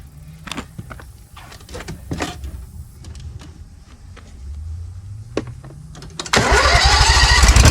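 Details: Briggs & Stratton Vanguard 20 HP V-twin zero-turn mower after fitting new ignition coil: starter grinds briefly, then engine catches and settles into an even, strong run without missing; weak coil was the fault.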